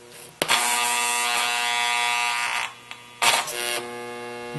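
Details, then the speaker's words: NuTone IM3003 radio intercom master station on bench: loud background hum grows louder and varies in pitch when door talk is pressed, returning to background hum on end call; common failure mode, varying-pitch hum. "watch what happens we push door talk and the loudness of the hum increases and it varies somewhat in pitch"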